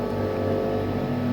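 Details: PS3 Phat fan running after a yellow-light-of-death repair where faulty NEC/Tokin capacitors for the RSX chip were supplemented with tantalum capacitors; console now powers on green, with a steady, even low fan hum and no rattle or scraping; normal.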